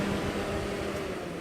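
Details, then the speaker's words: 1989 Jeep Cherokee XJ 4.6L I6 with a Volvo S70/V70 two-speed electric fan retrofit: smooth steady whir with faint hum and no scraping after loosening the mount; fan had rubbed the trimmed shroud, now running normally. "if I loosen this up a little bit it stops so now it's normal so I guess the fan was just touching something somewhere"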